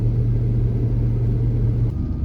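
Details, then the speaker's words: Chevrolet C10 small-block with Holley Sniper fuel injection, after fixing a vacuum leak; about 1,000 rpm stopping, then revs climb right back up once put in park. Steady hum well above normal idle, rising again: high idle persists. "stopping at the end of the driveway RPM ages 1,000 RPMs let's see what happens we put it in park right back up"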